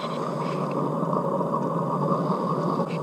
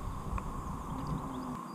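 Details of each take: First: Lifted trailer wheel spun by hand: steady gritty rumble and grind from a worn-out wheel bearing, which should make no noise at all. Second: Trailer wheel hand-spun after replacing its worn wheel bearing: it turns almost silently, with only a faint low whir and none of the earlier bearing rumble or grinding.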